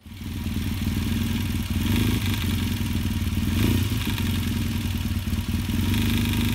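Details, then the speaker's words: Yamaha XTZ 750 twin idling with a fast metallic clatter on the right side of the engine that speeds up with revs: worn timing chain; oil was also found about 2 cm below minimum; valve clearances redone. "j'accélérais le bruit le bruit s'accélérer aussi très vite je me suis mis sur la chaîne de distribution"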